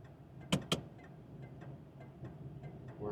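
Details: 1977 Oldsmobile Cutlass Supreme Brougham, Rocket 350 4-barrel V8, 30,310 original miles, heard in the interior: steady, evenly spaced light turn-signal flasher clicks at a normal pace; signals working fine.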